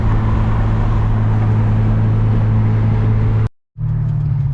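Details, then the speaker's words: JDM-front DC2 Integra: a deep, loping, uneven idle with a low drone; rough idle, and the owner suspects the distributor timing is off, unconfirmed. "This car sounds like it runs like absolute garbage. I don't know why it idles so poorly. I feel like maybe the distributor is off timing or something."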